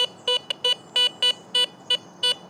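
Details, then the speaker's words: Garrett Vortex VX9 metal detector in standard multi-frequency, sweeping a bottle cap, reading 60–65; short repeated high beeps with slightly choppy edges: bottle cap target signal with broken tone. "it's reading about 60, 65. And I see and hear just a little bit of brokenness to it. But that is something I would normally want to investigate."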